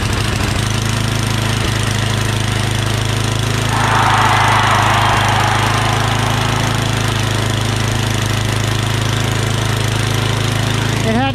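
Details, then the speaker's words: MTD Yardman 8.5HP 26-inch two-stage snowblower, single-cylinder, after carburetor clean (pilot jet, bowl, emulsion tube): steady even idle about three firings a second, smooth with no surging anymore; the previous surge was a dirty carburetor. "Runs good and smooth, doesn't surge anymore. That's idle. That sounds really good."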